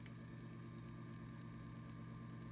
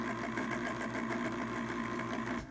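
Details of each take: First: 2 RPM pellet stove auger gear motor, sealed shaft, on bench: quiet smooth low hum, no grinding or clicking, far quieter than the others; healthy. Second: Pellet stove auger gear motor, ball-bearing type: whirring with a steady, fast, uneven clanky clatter running through it; it still works and may feed pellets but is not healthy, unlike a new motor.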